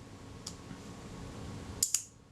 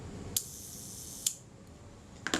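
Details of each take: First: Kodak Retinette type 022 shutter after servicing, at the 1/8 s setting: two crisp clicks only about a tenth of a second apart; the slow speed is running fast, estimated within half a stop, and needs adjusting. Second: Kodak Retinette type 022 leaf shutter during servicing, speed train set close to the center for a good mainspring. Three crisp, clean shutter clicks with no drag or stutter; it fires smoothly.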